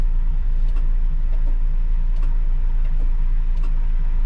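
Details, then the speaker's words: D50 mini truck after years stored, morning cold start; deep low drone with uneven beat, stumble about every second; missed a little at idle the previous afternoon, owner notes possible weak head gasket. "Crystal fires right up and it was missing a little bit yesterday afternoon while we were letting it idle for a while"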